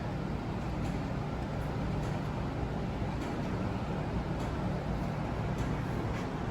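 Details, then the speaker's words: 1935 Chevrolet coupe with blown big-block V8, first start after carbs synchronized, timing set roughly to fire and fuel system pre-bled; catches and settles into a steady, even low rumble with no misses or knocks: normal start and idle. "steve had synchronized the carbs ready to go he set the timing up pretty much to fire we pre-bled the fuel system so there we go"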